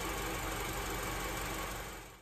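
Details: 2007 Honda Element after throttle body cleaning, which fixed surging, rough idle and stalling: petrol engine idles at a steady, even pace with no surging, dips or stumbling.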